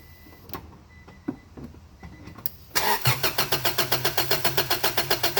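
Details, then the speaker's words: Classic car cranked with a spark plug tester attached: the starter churns evenly at about four beats a second but the engine never fires; no spark suspected, main relay first suspected, distributor and coil next to be checked. "Okay, so I'll crank it over and we'll see that there's no spark."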